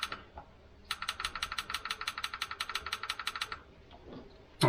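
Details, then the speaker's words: Jaguar XJS V12 suspected stuck fuel injector pulsed with 12 volts via test leads (normally runs on three or four) to shock it free: fast, evenly spaced train of about twenty sharp clicks in under three seconds; injector opens and closes when energized. "let's see if it clicks is clicking so i'm going to do this a couple times now and if we're lucky this will sort of free it up"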